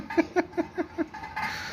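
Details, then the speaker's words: Mahindra Bolero front wheel while driving: sharp chirping scrape about five times a second, varying slightly as it rubs, from a stone trapped in the front brake disc dust shield/cover, not the bearing. "ये देखिए आवाज देखिए यह देखिए अभी भी आ रही है हल्की हल्की यह देखिए यह पत्थर घिस रहता है तो आवाज इसकी हल्की हल्की चेंज होती रहती है"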